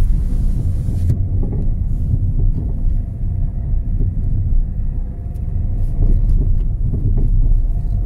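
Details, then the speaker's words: Peugeot 207, recorded from inside while driving: irregular dull clunks from the front suspension over road rumble. "Arkadaşlar bir Peugeot 207 aracın içindeyiz araçta ön takımdan ses geliyor bu araca arıza arıza Facebook'ta yapacağız"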